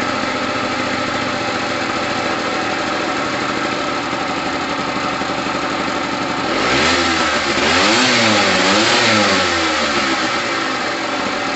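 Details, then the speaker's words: Gilera DNA 125 two-stroke, which had sat a while and needs loosening up, revs cleanly through quick blips and settles back smoothly. New fuel line fitted; heavy oil premix in the petrol. Normal running and revving. "it needs it needs loosening up but it sounds amazing yes i love a two-stroke sound"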